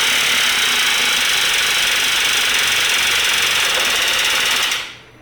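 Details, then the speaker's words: Audi B5 A4 1.8T after a motor swap, first start after refitting the coil packs and tightening the motor-mount ground, following a weak crank. Fast, harsh metallic clatter like sand in the engine, cutting off at shutdown; the engine did not sound like this when bought, cause unknown. "Oh, that sure is an interesting sound now, isn't it? That is a very interesting sound. I don't know how I feel about that. Motor was definitely not sounding like that when I bought it."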